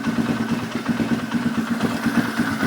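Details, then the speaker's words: Polaris Sportsman 500 after carb rejetting and idle adjustment: steady, even single-cylinder putter idling around 1250 rpm, no misses or stumbles; possibly running slightly rich. "I'm just going to give it a try that sounds much better"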